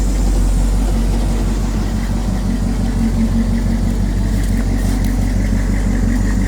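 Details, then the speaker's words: 1983 Chevy C10, 350 small-block V8, after tune-up and correcting crossed plug wires, turndown exhausts: deep even burble at steady idle, no misses or knocks, running clean; normal idle. "More turn downs on now, man. Old turn downs, baby. Running clean, running good."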